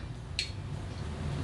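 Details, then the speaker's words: KJ103 smart autoranging multimeter: one sharp, bright click over quiet room hum as the internal relay switches range after the probe is removed from a DC volts test; noticeably noisy relay. "now i don't know if you heard that but there is a relay in this meter wow it's pretty noisy too clicky click"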